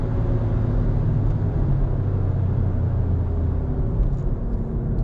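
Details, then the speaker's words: Mazda 3 after replacing the destroyed engine mount, which had caused grinding drive noise: steady low engine drone while driving, no thumps, knocks or clunks; normal driving. "working absolutely great normal functions no miss sounds everything sounds really nice and it drives absolutely great"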